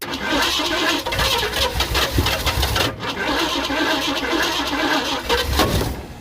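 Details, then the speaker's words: Abandoned Eleanor Mustang project, sat over a decade, leaking fuel pump: starter whir mixed with uneven firing, brief drop near three seconds; runs only while the button is held, so owner may wire both together. "Yeah, it's only running when I'm holding the button. So maybe I need to wire both these together."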